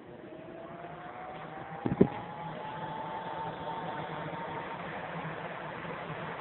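A click, then a smooth whir whose pitch climbs as the fan spins up and settles steady; the blower sounds healthy.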